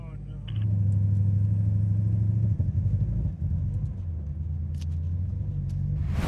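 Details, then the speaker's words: Shelby Super Snake Mustang widebody, supercharged V8 over 800 hp, after drag race went into limp mode with a warning: deep uneven lumpy idle that keeps breaking rhythm; the engine is misfiring as it runs. "misfiring it is misfiring right now you can hear it misfire when it runs"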